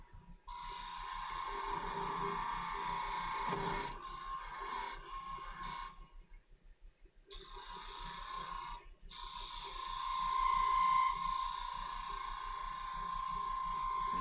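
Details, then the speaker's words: Sapele wine glass stem on a woodturning lathe, hollowed and getting quite thin. A steady high ringing tone and rough scraping hiss show the thinning wall chattering and vibrating under the tool. "can hear that vibration cuz it is getting quite thin."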